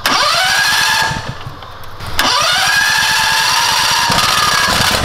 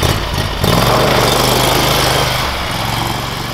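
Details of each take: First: Predator 670cc engine in a Yerfdog Spiderbox go-kart, after fitting a governor spring with more than double the tension: it revs cleanly and holds a steady pitch near 3600 rpm. Before, it barely reached 2000 rpm. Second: Predator 670cc engine in a Yerfdog Spiderbox off-road go-kart on its first ride: steady low drone that never climbs, about 2,000 rpm by ear, too low to fully engage the torque converter; cause suspected, not confirmed.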